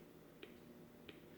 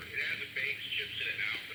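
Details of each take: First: 1960s Volt 2-transistor radio, previously completely dead, battery 4.3 V: two sharp speaker pops when power switch is wiggled, no station received; improvement but still no reception. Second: 1960s Volt 2 two-transistor radio, previously completely dead, now repaired and receiving a station clearly at low volume with voice and music, no crackle or dropouts.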